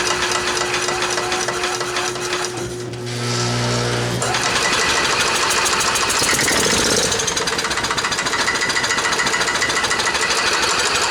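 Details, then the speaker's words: Club Car golf cart petrol engine, first start after 4 years stored in a barn since it quit, float bowl just primed: it fires into a harsh, rattly chatter near three beats a second that stays uneven, shaking. Rough running. "fired well you guys probably shook around like crazy but guess what it ran"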